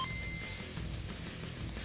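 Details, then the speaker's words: Game Boy Color after cleaning battery-compartment corrosion, with batteries refitted and game inserted; short clean startup chime on power-up, boots normally. "Oh yeah, I just love that sound of the Game Boy turning on."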